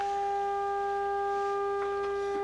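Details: Harman Kardon 75+ receiver being overhauled after full recap: steady distorted tone with a buzzy edge throughout; amplifier channel distortion from a faulty output transistor.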